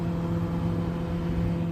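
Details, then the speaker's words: Frigidaire FFTR2021QS1 top freezer after the new Electrolux 242077705 evaporator fan and its shroud are refitted: a steady, even low hum with a constant airflow rush and no ticking or scraping, normal fan operation, already cooling after about 10 minutes. "blowing. This thing works. And it's already starting to cool up in here, and it's been like 10 minutes."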